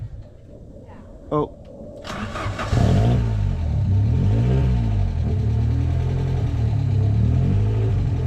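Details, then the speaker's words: Ford Sierra RS Cosworth, stolen and recovered, sat unmoved for years, first start; catches then lumpy idle surging up and down, over-revving a bit: rough running. "she's not a very happy girl she's not"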